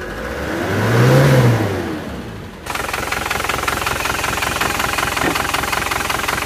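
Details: Isuzu Panther LS diesel as it arrived at the shop. It revs, then settles into a lumpy, limping idle with a steady stumble. One cylinder is not pulling and the mechanic suspects a severe compression leak, though injector nozzles can also cause limping.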